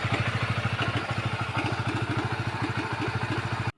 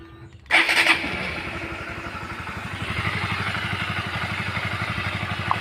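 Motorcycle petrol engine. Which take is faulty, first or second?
first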